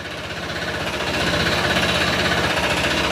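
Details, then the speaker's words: Honda PCX160 scooter engine at 126,434 km idling then revved, hard rapid metallic knock about four per second that follows acceleration; not the CVT pulley, diagnosed as connecting rod knock before engine overhaul. "Sumasabay sa acceleration. Hindi po yan sa panggilid ha. Kasi iba 'yung tunog ng panggilid kapag once na sira ang pulley yan."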